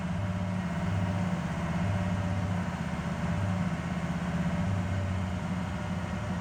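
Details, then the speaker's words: 2006 Ford F350 6.0 Powerstroke diesel with new injectors, filters and sensors, throttle held steady around 2,000 rpm: a deep drone with an uneven, pulsing beat and heavy shaking. The owner suspects aftermarket cam/crank sensors or the throttle pedal assembly. "okay so i'm holding the throttle a little bit in this 2006 6.0 and here's what i'm getting i ain't moving my foot either i'm gonna ease out of it slowly you can see pretty good shaking at 2 000."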